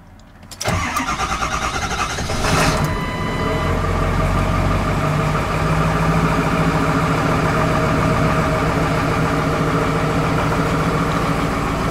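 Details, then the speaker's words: Truck cold start: catches and settles into a slightly uneven, lumpy idle with an irregular stumble; owner suspects air in the fuel, not confirmed. "like there's some air in the in the fuel because it sounds like that broth bottle"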